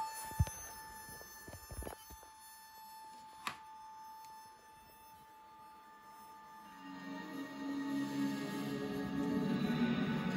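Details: VCR cassette deck: scattered sharp clicks over a faint steady tone, then a rising whir as the mechanism spins up, occurring around stop/rewind and play; cause unknown; abnormal mechanical clicking and whirring.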